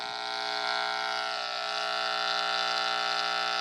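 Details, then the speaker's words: Steady high-pitched buzzing whine of several fixed tones, picked up with an LM386 hum-finder probe: interference from a Nixie clock's switching supply. "That's the switching voltage to light the Nixie So there's something right there that's generating a lot of noise."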